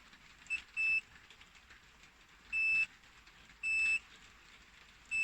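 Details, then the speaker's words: 2000 Land Rover Discovery Td5 with rear windows not working, multimeter continuity test on fuses still in the fuse box: four clean high beeps as each fuse is probed; fuses intact, so suspicion moves to the window switch or motor. "stick it on there and stick it on there, you hear the sound. So that saves you the need to constantly be pulling out each and every fuse."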